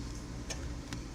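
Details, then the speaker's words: Mazda Miata on a Megasquirt 3X ECU with firmware loaded, key on and engine off: a low, steady hum under light ticking as the fuel pump primes normally. "because I actually have firmware loaded already I hear the fuel pump running so that's good that's what you're supposed to hear"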